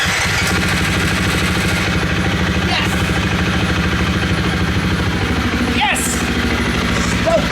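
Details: 2017 Husqvarna FX450 after fixing a no-start, fuel pump now running, relay replaced; steady even four-stroke idle with smooth beat and no misses or knocks; running cleanly.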